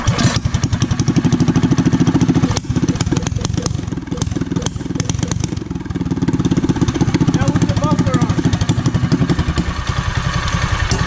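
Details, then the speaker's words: Power Wheels with small engine and new carb, after straight-cut exhaust fitted with muffler: even, rapid single-cylinder putter with soft muffled note, steady firing, much quieter than before; running smoothly. "yeah but it's so much more quiet"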